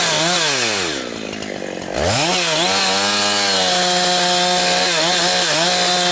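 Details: Husqvarna 362XP Special chainsaw with Walbro carb, cutting firewood. The screaming two-stroke climbs to top revs, then repeatedly stutters and gargles as it cuts out. The wrong ignition coil's rev limiter caps it; it is worst when limbing and fine near 9,000 rpm buried in big wood.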